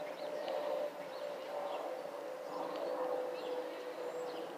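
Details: Delta Airlines Airbus A319 and A320 (2019): thin, steady fixed-pitch whistle over quiet surroundings, the normal FOPP whistle of the A320 family.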